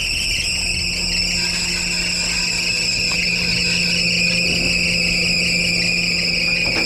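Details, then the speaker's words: 2014 Perodua Myvi, 88,033 mileage, bonnet open, air-con on: high thin chirping "mouse" squeal over the idle from the front of the engine; accessory belt slipping, noise comes and goes. "Nampak ada bunyi geng eh. Ada bunyi. Okey kita buka bonet. Kita buka bonet. Kuat bunyi eh."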